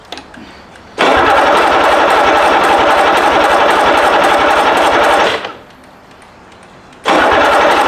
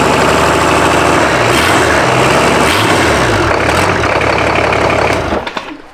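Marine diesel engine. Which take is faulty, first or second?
first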